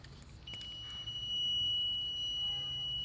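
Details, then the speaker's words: Ford Explorer electric fan clutch circuit checked with a multimeter: a steady high beep for about two and a half seconds shows continuity, so this circuit is closed and good. The new aftermarket fan clutch was later found shorted and defective. "hear that sound see makes there's continuity there that means it's a closed circuit it's good"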